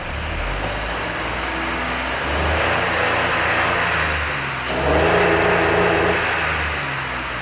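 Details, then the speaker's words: 2005 Honda Odyssey revved after cleaning out the second catalytic converter: two smooth swells without bogging but stops climbing early, no longer losing steam as before; owner suspects the Vehicle Stability Assist (VSA light on) limits revs. "i still think that vsa thing's coming into play it's not losing steam like it did before though i have a theory about what might be going on here and why the engine won't rev like it did initially when i brought it in"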